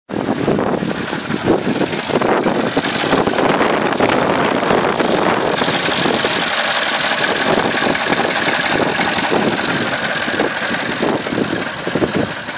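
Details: 2003 Porsche Cayenne S 4.5 V8 smoking badly from the exhaust at idle. It runs with a busy, rough clatter and knock through idle and a light rev; cause unknown.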